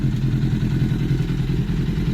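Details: 2004 Honda CBR1000RR after repair of the water-temperature-controlled idle air control valve, which had made it stall at 62°C: even, steady idle with a smooth regular beat, no stumbling or hunting; healthy.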